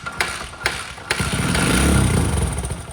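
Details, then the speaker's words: Dirt bike recovered from a lake, after draining water-contaminated oil and fuel and refilling fresh: kicks, then runs unevenly, stumbling and surging at idle; runs but not well enough to ride. "right it runs but just not good not good enough to ride"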